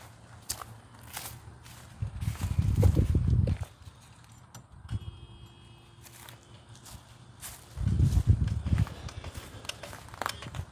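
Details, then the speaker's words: 1991 Ford F350 dually, 7.3 IDI diesel, unrun since 2010, after draining water from a petcock: two short spells of slow uneven cranking, never fires. Fuel in the rails; unexplained injector pump clicking; cause unconfirmed. "Got fuel in the fuel rails. I don't know why that's clicky clacking on like that though."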